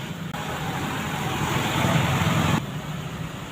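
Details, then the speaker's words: Samsung WA16T6260 washer that powers on but takes no water (bad water inlet valve): spin-only cycle, low even hum as drum spins up and holds speed; motor and sensors normal, no error codes. "แสดงว่ามอเตอร์เริ่มหมุนแล้วครับตอนนี้เริ่มปั่นแห้งแล้วเนี่ยเริ่มอ่าหมุนแล้วก็ก็แสดงว่าระบบเซ็นเซอร์ก็ปกตินะ"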